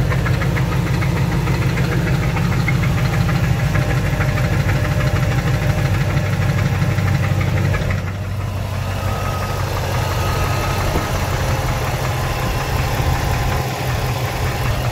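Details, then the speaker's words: 2005 Dodge Ram 1500 5.7 Hemi: loud deep knocking about three times a second over rough idle from bottom end; owner suspects spun main bearing, others suggest flexplate, unconfirmed. "sounds like the Bering sounds like a bearing the bottom end [Music] yeah I mean I think it's the bearing I definitely think the bearings ban on this"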